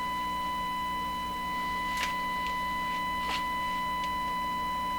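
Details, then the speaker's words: Stewart Warner R514 tube radio tested with a single-frequency signal injected at a tube grid, about 600 ohms impedance: steady tone comes through harsh and buzzy with faint ticks, distorted, seemingly from too much signal; cause suspected. "it sounds very distorted doesn't it sounds like it's too much signal just cut it back"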